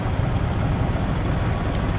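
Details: Jeep ZJ 4.0L inline-six after oil filter adapter leak repair: steady low rumble with even beat, no knocks or ticks; idling smoothly and healthy.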